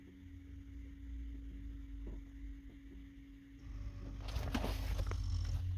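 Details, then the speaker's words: Gen 2 Toyota Prius during Techstream linear valve offset calibration (for C1345/C1256): quiet steady hum of the brake accumulator pump charging pressure, faint ticking of the valves calibrating in the background; running normally. "now you can see it's they're blinking at different rates you can hear the accumulator running as it's calibrating the valves"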